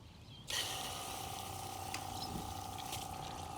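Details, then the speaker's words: Portable camping hot water shower drawing from a bucket through a filter, temperature moderate, flow at minimum, about 18 degrees outside: small pump hums steadily over trickling water, igniter comes on, water comes out warm; normal running. "I could hear the igniter coming on, the pump's running, pumping water through from the bucket, igniter is switched on, and it's pretty warm."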